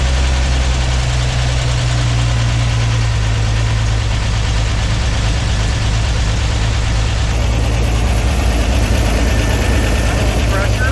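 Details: Flooded Corvair air-cooled flat-six after dropped valve seat repair and reassembly of fuel injection, exhaust and vacuum line: catches and settles into steady even low rumble, no knocks or misses; normal idle.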